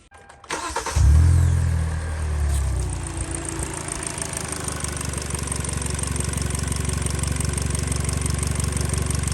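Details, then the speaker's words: 2013 Hyundai Elantra 1.8L, after fixing a crank-no-start that cranked oddly as if mechanically out of time: a brief crank, quick catch, then a steady, even idle. It now starts normally, though the engine shakes a little. "It would crank very weirdly, as if it was mechanically out of time, which obviously now it starts, so it's not."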